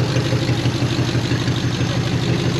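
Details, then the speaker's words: 1950 Ford Flathead V8, revived after 50 years stuck, after carburetor rebuild, running without coolant: low, even, smooth purring idle; no longer smoking, only residual from fluid sprayed into cylinders. "It's not smoking at all now. I mean, that's just residual. This thing sits here and purrs."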